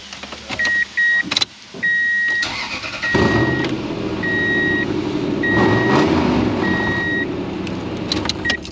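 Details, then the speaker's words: 2004 Toyota Tundra: engine fires with warning chimes, then a loud raspy puffing at idle, louder than normal, from a leaking exhaust manifold. "Well, we road tested the car, and as you heard in the first clip, it's loud."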